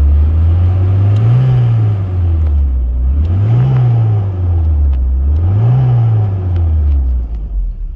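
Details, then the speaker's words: US-spec Volvo 740 Turbo Intercooler, B230FT engine, revved from idle to about 1500–2000 rpm while watching turbo boost: deep smooth rumble rising and falling in three even blips, no knocks or whine; healthy turbo engine. "Je vais essayer de vous l'accélérer un peu. C'est génial. Et là du coup la pression de turbo. Donc là on va monter un peu, 1500 tours, 2000."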